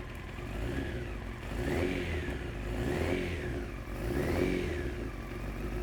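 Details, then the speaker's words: 1993 Honda CBR900RR first start after fuel-system troubleshooting, choke off: a four-cylinder that runs evenly, with light throttle blips rising and falling cleanly and no knocks. Smooth, normal idle. "but it runs so that's that's a huge sign and it's a smooth idle"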